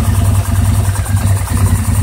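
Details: 2009 850 XP running rough at idle, a low, lumpy idle stumbling unevenly with a break in rhythm around halfway; burping, backfiring and an intermittent miss persist after throttle cable adjustment and repairing mouse-chewed wiring.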